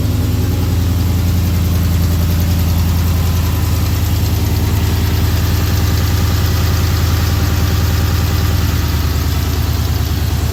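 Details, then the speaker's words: Scat-swapped V8 idling after installing new intake manifold (old one had stripped screws, reading too much air); deep even idle with steady lope, no pops or stumbles that it previously had on startup; normal idle. "sound like it's running a lot better already cuz they used to do this little pop noise like soon as I started it would pop it would do like a little pop like this misfiring or something"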